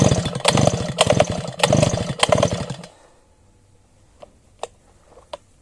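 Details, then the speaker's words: Sviatiaz BT-430 petrol brush cutter on choke after a refuel. Engine bursts into ragged, uneven firing for a few seconds, then dies; the owner next tries without choke. Plug is soaked. Flooded, failing spark plug; a new plug fixed it. "Ой а щось биркнула бачите биркнула биркнула але чомусь зразу заглохла попробуємо виключити падсосика і завести знову"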